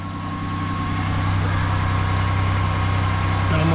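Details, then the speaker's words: 2004-2008 Pontiac Grand Prix 3.8L at idle after power steering pump replacement, air bled and fluid topped off: steady low idle with a faint thin tone, no whine while steering and no dripping; power steering normal. "Well, got the fluids topped off. No more whine."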